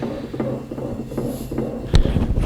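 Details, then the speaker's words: Toro TimeCutter zero-turn mower, deck removed at yearly service, blade spindles spun by hand: low rough rumble with faint ticks about every 0.4 s from a worn spindle bearing; bearings and one pulley to be replaced. "That one there sounds bad. So I got to put some bearings here, here, and get a new pulley for this one right here."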